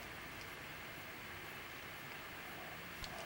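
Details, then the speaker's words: Lenovo G40 laptop after its noisy fan with failed bearings was replaced: only a soft, even rush of air with no rattle, buzz or whine. Normal fan running. "feel the fan actually doing his job i don't hear all that noise sounds good"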